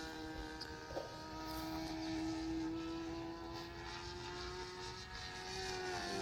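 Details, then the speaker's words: Sig Kougar RC plane on its maiden flight after a rebuild. The high buzzing engine holds, then droops and wavers in pitch; it sags in flight, with leaning out suspected. "That sounds like it's running a little red. I think it needs bearing. Yeah. for using like buying garon rates. I've already reduced the race off of the first place about 70% now. But now it's sagging cuz it's leaning out a little bit."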